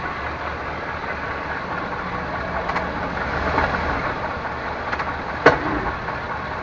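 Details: 1998 Chevrolet Suburban K1500, 5.7L, 4L60E automatic, 177k miles, in 2WD: quiet idle then a single hard thump as the lever goes from park into drive; owner also hears clicks uphill; cause unknown.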